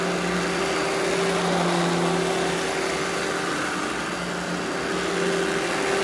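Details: Eureka The Boss Smart Vac upright vacuum, model 4870 type GZ, bought secondhand, belt replaced; switched on for a demo: steady even motor drone, constant whine near 180 and 360 Hz, no rattles or surging; normal smooth running.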